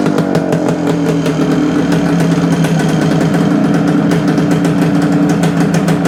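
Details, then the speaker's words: 1972 Suzuki TS250 two-stroke with a fuel delivery problem, after fitting a 170 main jet (thought better for altitude): crisp even idle with clean ring-ding beat, more responsive, no misfire or bogging; problem fixed. "sounds like we got our problem fixed"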